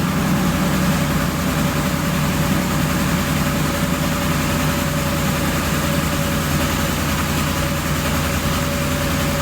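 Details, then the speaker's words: Ford V8 during a dealer-level engine mechanical test run from a scan tool: deep idle with an uneven beat and recurring soft pops. Cylinder 3 shows low power contribution, and another cylinder's power drops with each pop. "This little guy right here is down on power. This is cylinder number 3. But check this one out, see that? Every time I hear a pop, this comes down and it loses power."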